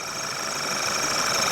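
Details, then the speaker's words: Running engine with high-pressure fuel pump stuck at maximum pressure: steady high-pitched howl located by acoustic camera at the high-pressure pipe end into the rail, pump itself also somewhat noisy. "If we go to single source down here, you can see that around that high pressure pipe is where that noise is being picked up the most."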